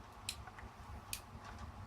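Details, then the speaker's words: DIY CNC mill built from 3D printer parts, newly mounted X-axis end stop micro switch being actuated: three crisp, sharp clicks under a second apart in a quiet room; switch clicks on and off cleanly, normal. "I don't know if you can hear that click, but that's click on, click off, click on, click off. Beautiful."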